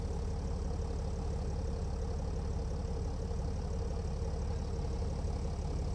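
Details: A Mercedes E320 CDI S211 with a 3.2 V6 diesel (224 hp, 250,000 km, 7G-Tronic, DPF and catalyst emptied) is cold-started after a week, smoking slightly. It idles with a heavy, uneven, lumpy thrum of about 150 pulses a minute: a rough cold idle.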